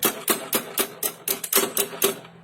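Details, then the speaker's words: Carbureted Honda Beat scooter whose starter only clicks about four times a second without cranking the engine; owner already replaced parts including the regulator, cause not confirmed. "Oke ini ada motor Honda Beat karburator yang mengalami permasalahan klasik itu staternya itu kadang-kadang cuma jejak perhatikan baik-baik suaranya"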